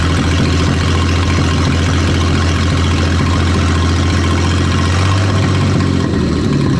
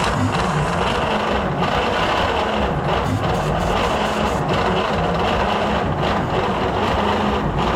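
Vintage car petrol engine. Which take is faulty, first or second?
second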